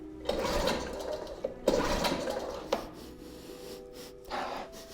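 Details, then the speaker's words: 2004 Mercury 2.5 hp two-stroke outboard, unwinterized after six months' storage, choke on: four rope pulls, each a quick whirring rush with no firing; kill switch lanyard keeps sliding off, not fully seated. "Nothing, we're not even getting a kick. I don't trust this. This thing has failed me on the water last year."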